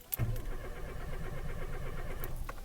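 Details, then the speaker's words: Renault Clio Alize 1.4 with a Siemens 32 ECU, cranked in neutral with the clutch in: steady rhythmic starter cranking for a couple of seconds, but the engine never fires. A crank no-start condition. "so to confirm that the car cranks but doesn't start we'll switch it on"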